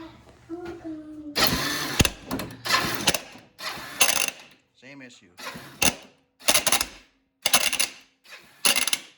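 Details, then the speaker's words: 1986 Kawasaki Bayou 300 cranking in seven short bursts with a harsh clattering whir as the starter slips, even after a new starter chain; diagnosed as a worn one-way bearing, which was then replaced. "That sounds like the one-way bearing. All right, next step, we're gonna get a one-way bearing ordered."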